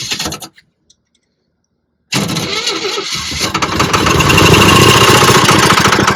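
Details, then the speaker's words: 1968 Chevy Bel Air straight six off the road over 20 years, first start: cranks, catches after a gap, settles into uneven, spitting, lumpy run. "what's spitting at me you know what's spitting at me it's victory yeah that's right Richard and Lee Johnson got this thing to run"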